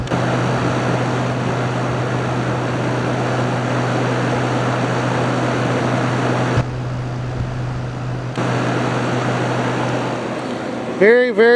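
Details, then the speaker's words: Haier ESA410J-RGB 10,000 BTU window AC cooling, ice-cold airflow, fan being shown: steady even whoosh of air with a constant low motor hum, no rubbing or rattle; AC fan runs healthy. "Take a look at our fan."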